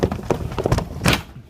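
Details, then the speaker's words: Sliding glass door rolling over a track bent into a wavy pattern by a damaged wheel: run of uneven thuds and bumps as the door bounces instead of rolling smoothly. "it sounds a very wavy pattern and I once like at the door just wants to bounce instead of roll smoothly"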